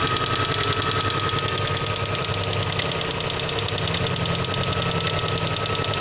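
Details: VAZ 2112 engine at cold idle: sharp, rapid knocking at roughly three to four per second over the engine note; cause unclear.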